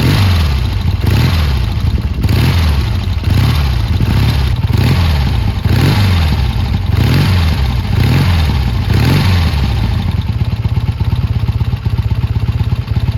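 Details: Triumph T140 twin after new carbs fitted and an intake air leak sealed with extra clamps: crisp revs about once a second drop cleanly back, then an even idle with no misses or popping. Running normally.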